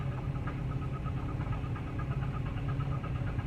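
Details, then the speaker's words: 2008 Chevy Cobalt that ran out of oil and was refilled, idling, recorded inside the cabin with windows up: muffled drone with faint, quick, regular tapping knock; knock sensor code set. "that's probably why the knock sensor code is there because this thing definitely knocks"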